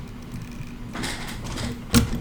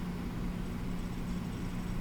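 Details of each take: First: Xbox One X that makes a noise when plugged in and powers off: a few sharp clicks, then a thin steady whine; 12 V output measured solid, but the power supply is judged faulty. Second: Xbox One X with a replacement power supply from another console: quiet steady hum, fan spinning evenly, none of the clicking and whine the original faulty supply made; normal power supply operation.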